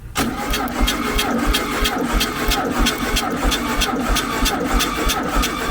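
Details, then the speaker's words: 1972 Super Beetle flat-four, reportedly recently rebuilt, running rough, during compression test: steady cranking with even compression pulses, no misses; about 125 psi, good compression; bad points and plugs found. "It was bouncing up to 125, so 125. Okay, 124. that's 125. It's all the way to 125. Alright, that's good."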